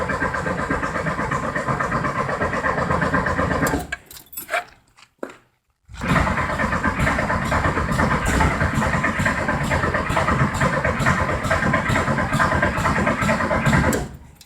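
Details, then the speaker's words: 1973 VW Thing engine parked since the early 1980s, primed, no choke: long cranking with ragged sputters that never catch, a pause, then weak firing; no start, loose distributor suspected of letting timing slip, later tightened. "Trying real hard. So back her down a little bit more. I think my distributor is actually moving on me when I go to start it. So let me tighten that down."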